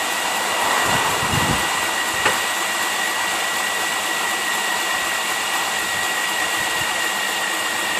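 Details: 1998 Chevy S10 4.3 V6, 310,000+ miles, after replacing melted belt tensioner, idler pulley and serpentine belt: steady even idle with a smooth hiss and no chirp, squeal or rattle from the belt side.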